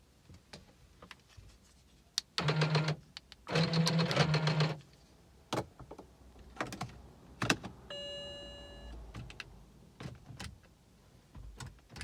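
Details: BMW E90 335i after new battery installation: scattered clicks, short electric whirs and a chime but engine never turns over; electronic steering lock (ELV) needs reset via BMW diagnostic tool or ELV emulator; no-start, steering lock fault.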